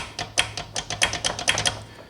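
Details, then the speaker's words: Quantum 4Front power chair raised on a block, wheel rocked by hand: sharp uneven metallic slapping, about six in two seconds, from the parking brake housing with slack when stopped; loose parts in brake housing, before repair. "now there's a difference between clunking and actually metal slapping the result of this metal slapping noise we're hearing is loose parts"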